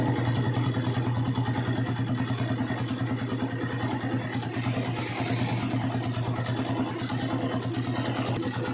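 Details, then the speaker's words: Honda TMX155 single-cylinder, hard to start after rain, just after carburetor cleaning; idle was high, so the idle screw was lowered, mixture screw at 3 turns: even, steady thump at a settled low idle, no hunting or misfires. Normal idle. "Okay. Nababa ko lang to yung kanyang idle screw."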